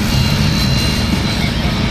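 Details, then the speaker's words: Align Trex 550/600 RC helicopter after one-way bearing adjustment: full-throttle flight with instant hard stops, steady high-revving motor and rotor whir, head unloads with a snap, no catching or grinding; one-way bearing not locking up. "full tilt boogie and you could just hear the head just unload snap"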